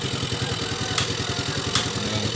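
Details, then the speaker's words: Yamaha FreeGo scooter restarted after a broken ECU fuel-pump ground was bypassed with an external ground: quick regular putter at steady idle, even firing, no hesitation; normal idle. "Coba kita angkat ini kabelnya pasti mati coba starter lagi jadi motornya udah hidup ya"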